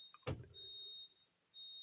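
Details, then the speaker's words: Mercedes Sprinter van with flat battery after sitting unused: steady high-pitched electronic tone that cuts out and resumes, the battery saver alarm sounding after failing to protect the battery. "That is the battery GAN 3000, which apparently has failed to do its job by saving my battery."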